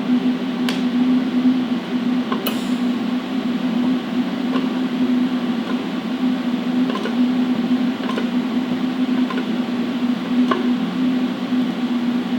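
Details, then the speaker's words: AHP Alpha TIG 200X in DC TIG 2T mode, 100 amps: only fan drone, gas hiss and light clicks with pedal fully pressed; gas solenoid opens but no arc ever strikes. "Nothing. No arc, no nothing. Foot pedal was fully depressed. The solenoid opens, because I can hear the gas flow, I can see it on the flow meter, but nothing."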